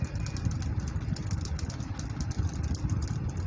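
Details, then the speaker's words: Electronic body massager after repair, broken joint glued and cured 4–5 hours then reassembled, test run: strong steady low buzzing rumble with light rattle; motor vibrating normally, massages strongly. "सबसे पहले मैं इसको थोड़ा सा चला के आपको check करवाता हूँ। इसकी आप वाइब्रेशन देख रहे हैं,"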